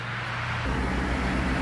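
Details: 1977 Cadillac Eldorado, start after fitting refurbished radiator and new water pump with heater core bypassed: engine catches after brief crank and settles into a steady, deep, even rumble with no misses; healthy start, no dash smoke.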